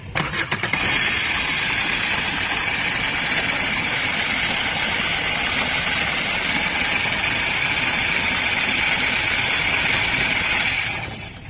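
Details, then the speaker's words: Car engine catching and settling to idle under a loud, constant, gritty whir with a thin whine on top, from a worn bearing in the fan-belt adjuster (tensioner) beside the engine, not from inside the engine. "पर engine के अंदर से कोई आवाज नहीं आ रही जो आवाज है वो साइड में हमारा एडजेस्टर लगा रहता है जो हमारी बेल्ट चलती है फैन बेल्ट उसको एडजस्ट करता है उसके बेरिंग की ये आवाज है"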